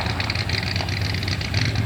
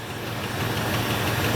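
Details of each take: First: 1977 Ford F150 4x4 barn find, one-owner, sitting about 20 years, on its first short drive home: low V8 rumble with uneven, stumbling beat and irregular pulses; running rough while moving, cause not yet clear. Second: 1977 Ford F150 4x4 V8 barn-find truck, one owner, sat about 20 years, first run with fast idle off and coolant low: steady, even low rumble with no miss or knock, idling impressively smooth.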